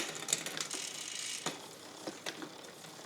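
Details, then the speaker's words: Bicycle with newly installed SRAM XO Transmission wireless drivetrain during derailleur adjustment: uneven ticking and clicking as cranks turn; chain skipping and not getting quieter, cause not yet found. "so I'm going in for now it's not getting much quieter oh maybe there's something else on the bike you fix one thing and something else breaks no there's something goofy going on because I got some kind of skiing going on"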